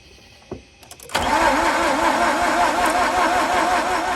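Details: 2004 Mazda RX8 manual, not started in 2 years and deflooded about 10 times, cranking on an extra 200-amp boost: loud warbling squeal rising and falling with each crank pulse; belt slipping on a seized alternator pulley.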